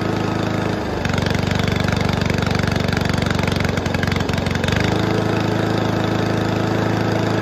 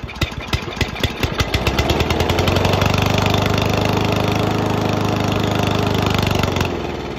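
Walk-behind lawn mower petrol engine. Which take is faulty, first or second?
second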